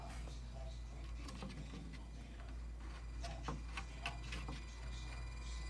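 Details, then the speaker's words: 1979 Midway Galaxian arcade PCB at power-up, heard through the speaker. A steady low hum with scattered random crackles and pops replaces the normal game sound, and the monitor shows nothing. The 5 V line measures only 4.4 V; cause unknown. "okay over the speaker i hear some weirdness"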